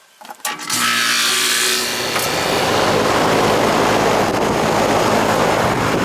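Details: Central AC whose compressor was heard trying but failing to start, after repair: click and rush as it comes on, then steady even hum and fan whoosh, no stalling; superheat 25, suction 63, charge fine, runs normally.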